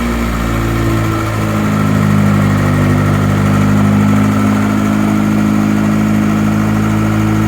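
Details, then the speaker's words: Freshly built Honda B18B, first start after install with clutch bled and coolant filled; a little burn-off: steady, even idle with smooth low rumble, no knocks, ticks or misses; healthy engine. "All right, well, it fired up. Looks like we got a little burn off. So far, it sounds healthy."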